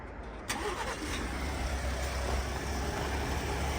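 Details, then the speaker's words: Ford at a dealer, cold start after sitting all day unmoved: starter catches quickly, settles into a steady even idle with no chain rattle or cam phaser ticking, listened to from underneath; unremarkable exhaust, healthy cold start. "So sounds pretty normal underneath there. The exhaust is really nothing to write home about. But sounds good."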